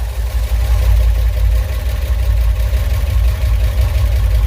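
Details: 1969 Impala V8, first start after installing a new flexplate and starter, started after two pumps with an initially dry carburetor: a deep, steady, even rumble with no knocks or misses at idle. A fuel leak was seen afterwards.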